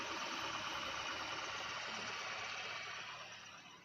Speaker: jadi kita cek bagian mesin kita dengarkan dengan seksama Apakah mesin ini suaranya halus atau ada suara-suara yang aneh